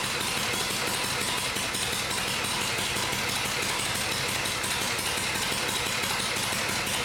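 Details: First start of a rebuilt vintage Harley Shovelhead V-twin after engine and transmission work, with a new Dyna coil fitted and the oil pump primed. A loud, even, lumpy beat with no popping or backfiring, unlike the earlier attempt; it is running right.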